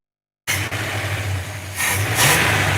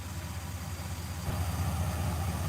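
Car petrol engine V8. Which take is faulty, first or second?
second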